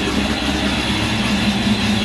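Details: Stock-block 347 V8 with Vortech V-1 supercharger and Holley Super Sniper fuel injection idling just after starting on a new fuel pump, fuel pressure not yet reset: even steady low rumble, no hunting or surging; runs smoothly.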